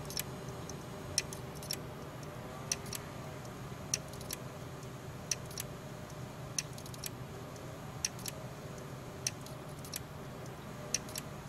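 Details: Seagate 1.5TB hard drive clicking, sharp dry clicks about once a second over a low steady hum; failing hard drive.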